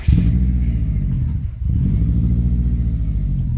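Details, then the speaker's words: Subaru Impreza WRX STI Hawkeye on cold start after fault code cleared, oil temp and pressure on live data: deep steady engine note that sags and stumbles mid-rev before recovering; rough running in the rev range, cause unclear. "This is exactly what he's doing. You can hear it in the rev range."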